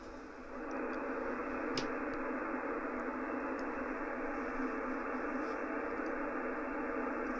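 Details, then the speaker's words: Ham receiver on 80 metres via loop-on-the-ground antenna after the neighbour's lawnmower was switched off: just a soft steady hiss, no buzzing or pulsing interference. Clean noise floor, interference source removed. "The lawnmower is now off, so this is still 80 metres where I left the rig, and now to put the loop on the ground on. There you go, no noise."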